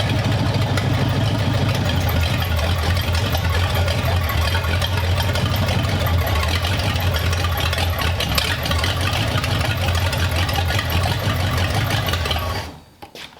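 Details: 1932 Roadster V8, newly installed in the car, carburettors not yet adjusted: low, uneven rumble that holds about twelve seconds then dies; cause suspected, not confirmed. Rough idle.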